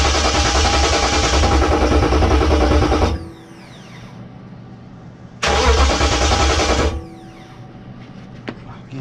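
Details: 98-03 Durango/Dakota with a DIY Hemi swap: two bursts of steady cranking at about three and a half turns a second, never catches and gets no fuel; SKIM immobilizer blocking it, computer later sent off to be flashed to remove SKIM.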